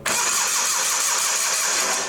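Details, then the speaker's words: Old Simplicity tractor, battery charged after being dead, in neutral: starter spins the engine at a steady even rate with rhythmic compression pulses but it never fires; cranking, no start, spark to be checked next. "all right it's cranking over so let's check and see if it's got fire"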